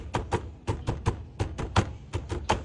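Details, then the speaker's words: Honda ADV350 front end after retightening a loose windscreen bracket screw: dull, even taps on the bodywork die away cleanly with no buzz or rattle; front-end noise completely gone. "OK， 没有了，完全没有了这个声音。"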